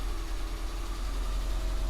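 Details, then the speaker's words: Austin Metro during restoration and engine service, on choke with slightly thicker oil: low, steady idle with an even beat and no belt squeal, only a very slight tap remaining; sounds healthy. "sounds nice now i stand up so you can hear it a little bit better still a tiny little bit of a tap but not a lot"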